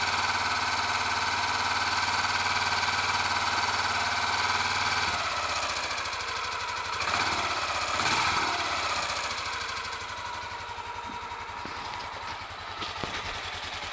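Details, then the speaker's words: Royal Enfield Electra X single after starter sprag clutch replacement and tightening a loose engine sprocket nut, started with the decompressor: steady thump settling as revs drop, no bottom-end knock, quieter than before. Normal idle. "I guess you'll just have to take my word for it that it sounds a lot better than it did before"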